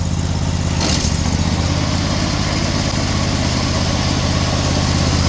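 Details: Snowblower small engine, belt guard fitted, choke frozen: it catches quickly and settles into a steady, even idle with no knocking or slipping noises; running fine.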